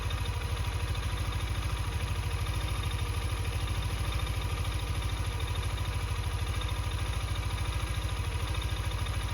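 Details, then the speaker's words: Yamaha NMAX V2 scooter at 28k odometer, crankshaft and block failed. Steady idle with hard, even clatter on every firing pulse, deep rhythmic bottom-end knocking; worn crankshaft, also burning oil. "Para may idea kayo, ito yung senyales kung palitin na ba yung si Gunyal nyo. At saka ito yung ingay."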